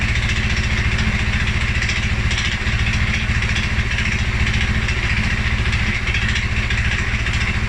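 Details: 2011 Polaris Sportsman 550 XP, EFI: single-cylinder thumping steady but lumpy at low idle, about two beats a second, after revving; stumbles cold on startup too. Dealer found TPS, IAC, TMAP in spec; valves, timing, new plug, 43 psi fuel pressure good; rough idle, cause unknown.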